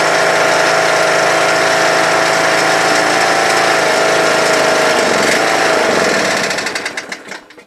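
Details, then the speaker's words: Troy-Bilt Super Bronco/Pony lawn tractor (17.5/20HP Briggs Intek, 42" deck): steady whine at high throttle, revs sag, stumble and die when throttled down; owner thinks it needs warming up; stalling at low throttle, carburetor later replaced. "the minute I take it from high throttle or choke to high throttle and then when I lower it it wants a stall so needs to warm up a little bit I think"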